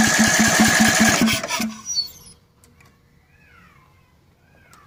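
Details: Cub Cadet 720 C 33-inch mower, carb cleaned, oil changed, fuel line cleaned, has spark, starter was stuck until greased: steady cranking at about two and a half turns a second, never catches; owner suspects a bad starter, not confirmed.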